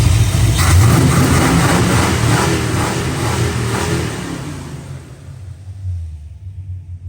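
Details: Fox-body Ford V8 after a roller conversion with Duraspark removed; revs cleanly and settles with a deep, even rumble and no lifter tick; under load it misses and hesitates until about 3000 rpm; normal running when free-revving.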